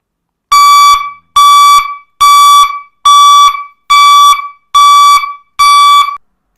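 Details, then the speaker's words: 12–48 V reverse buzzer (AA-002), sealed, rated 105 dB, low tone: seven loud, clean mid-pitched beeps about half a second each, roughly seventy a minute, evenly spaced; buzzer working properly. "Дуже гучний він 105 дб щоб вас було чути що Ви здаєте заднім ходом дуже дуже сильно"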